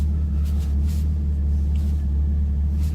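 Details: Chevrolet Camaro with AEM cold air intake idling after repair of a crank-no-start caused by the MAF harness rubbing on the power steering pulley and shorting a fuse. Steady, even low rumble over several seconds, no cut-outs; normal idle.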